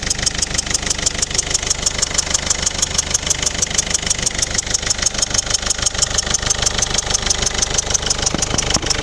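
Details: Mercedes OM611 CDI diesel engine at idle: crisp, very even ticking about three times a second over the idle, heard more from the rear right; abnormal ticking noise, source unknown.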